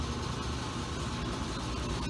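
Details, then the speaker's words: Kenmore Laundry Center top-load washer on a regular cycle, cold/cold water, large water level, heard from outside the bathroom door during spin; steady loud low rumble with rattling as the machine shakes hard and gets noisy, cause not evident. "So I'm gonna go ahead and, you know what, I'll just let you hear how loud this thing, because it's shaking and getting noisy."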